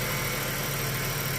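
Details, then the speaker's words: Ford FG2 Falcon after P2110 throttle-body code, restarted after fix (owner suspects loose inner manifold bolts causing air leak or debris on throttle blade): smooth, even idle with no hunting, throttle now lower than previous 18.8–19%; idling normally. "And turn the car off and turn it back on. And so far, she's idling back to normal."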